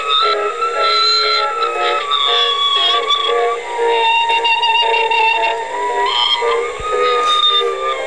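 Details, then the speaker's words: 1960s AIWA TP-40R portable transistor DC-bias rim-drive reel-to-reel, leaky electrolytics replaced and bias adjusted, playing back a music test recording: slow wavering pitch sagging and recovering every few seconds, wow and flutter from the low-quality rim drive. "anyway you can hear this speed irregularities and you know come in every now and then"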